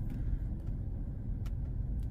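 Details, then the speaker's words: Mazda CX-5 2.0 petrol at idle with check engine light (P0302, P2302), shaking and stumbling from a cylinder 2 misfire; non-original coil fitted, coil and spark plug previously tested; heavy uneven low rumble. "Ramdam na ramdam mga katropa yung ano yung palya niyang ano ayan nanginginig-nginig kasi nga meron siyang missp sa number two"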